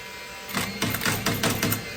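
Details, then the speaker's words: DeWalt DCN21PL 21-degree framing nailer with about 25,000 nails through it, not shooting at all: quick whirring motor bursts with no firing snap; weak or broken internal springs need replacing, fixed with a parts kit. "Not shooting at all. Basically, there's some springs inside here that are getting weak or broken, and they need to be replaced."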